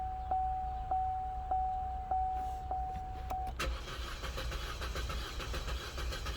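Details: 2012 Chevy Cruze: chime repeating every half second, then brief starter cranking without catching; crank no-start traced to a blown fuse caused by a shorted faulty ignition coil.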